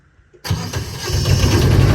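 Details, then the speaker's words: Truck Comfort Pro APU small diesel after servicing, started to check for rattling; starter catches, fires within half a second, settles to steady even low thrum with no knocks; normal start and idle. "all right you want to go fire it up and see if uh she rattles okay yep all right fire it up"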